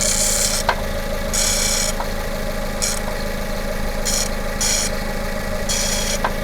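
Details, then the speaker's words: Hyundai Tucson petrol engine at first start, warming up at idle under 1,000 rpm: intermittent hissy bursts and faint clicks; owner suspected a tight or failing belt bearing but ruled it out; noise then fades. "What is that noise? I think my bearing for my belt might be too tight or just going right now."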